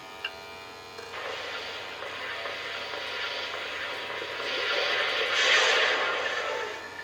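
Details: Original Xbox powered on with its green light flashing: a hissy whirr swelling and fading as the disc drive keeps reversing direction and never reads; a broken drive belt is suspected, unconfirmed.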